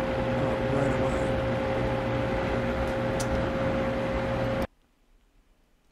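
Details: Vornado EVAP3 evaporative humidifier, brand-new unit at its first startup out of the box: a steady mid-pitched whine over a loud air rush until it cuts off. Abnormal fan noise; the unit was faulty and was replaced by the maker.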